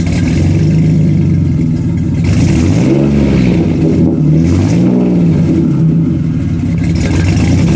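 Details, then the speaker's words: 2005-2010 WK1 Jeep Grand Cherokee, abused rig with engine problems, just back from Midas with a brand new exhaust; smooth start and clean revs with no rattles, leaks or ticking; healthy exhaust. "All right, we're back from Midas with a brand new exhaust. Let's go ahead and do a start up. See how she sounds."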